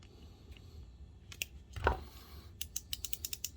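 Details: ComfortZone space heater that wouldn't turn on, after re-seating a warped metal contact in the tilt switch: light crisp clicks, then a quick run of about eight ticks as the heater is rocked; the tilt switch toggles freely.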